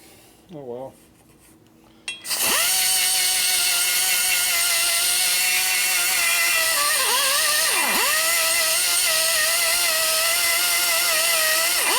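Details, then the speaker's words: Die grinder porting a 1974 Harley 74ci Shovelhead cylinder head by hand: high steady whine sags sharply in pitch as the burr bites, then recovers; the cutter is loading up with gooey aluminum. "Starting to load up again. I can feel it. See one right there. You can hear it too. Stuff's gooey on your fingers too."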